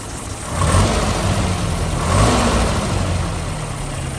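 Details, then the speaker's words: 1979 Land Rover Series 3 Lightweight, reconditioned 2.25 military engine, warm after a drive: clean revs from a smooth idle with no rattle; the slight top-end rattle occurs only when cold. "As you can hear, it's idling nicely, not rattling now, but it is warm."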